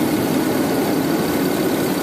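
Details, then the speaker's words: 2008 BMW 535i at idle after a driver chip was fitted to the DME circuit board: steady, even hum with no stumbles; misfire gone and no check engine light. "alright this is the 2008 BMW 535i that we put driver for the computer in it is operational and work the misfire is gone"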